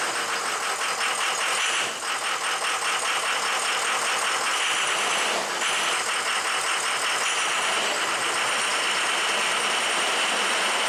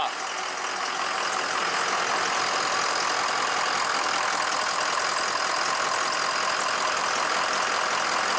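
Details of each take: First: Diesel truck engine after piston replacement and rebuild with O-ringed heads and ARP studs, first start: clatter with an uneven, lumpy beat and sags in speed. Runs a little rough, probably air in the fuel and oil systems. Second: Diesel truck engine rebuilt after piston replacement, with O-ringed heads and ARP studs, restarted after most of the air was purged from the fuel and oil systems: fires right off into a steady, even clatter with a light tick, idling cleanly while warming up.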